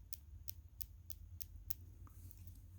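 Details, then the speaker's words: Sinn 105 St Sa UTC watch: six sharp, light clicks about three a second when one side of the bezel is pressed; other areas are silent, and the clasp makes a similar noise. "just pushing on the bezel here these areas don't make the noise but if i push on this side you can hear clicking"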